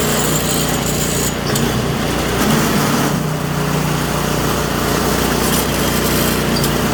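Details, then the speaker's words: Toro Power Clear 721E electric-start snow blower, customer says it won't start or won't stay running; runs rough and surging at startup, speed wavering, then steadies; carburetor to be cleaned, cause unconfirmed. "Well, it seemed to be running pretty crappy right at the beginning there, and then it just kind of dropped right out of it. Seemed to run fine."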